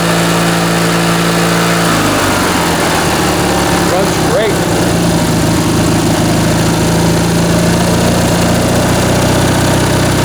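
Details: Briggs & Stratton 19.5 hp opposed twin-cylinder riding-mower (Craftsman) engine on bench test after carb rebuild and stripped main jet repair: catches about two seconds in, then holds a steady, even buzz with no stumbling or surging; runs cleanly.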